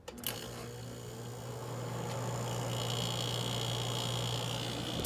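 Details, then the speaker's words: Older WCI Frigidaire air conditioner with a rotary compressor, started on high cool after sitting unused for a few months. After a click, a low hum builds and grows louder as the compressor labours on startup with "angry" noise. It is already cooling. "it hasn't been started in a while we got a little bit of angry compressor noise going on but it's already starting to get cool"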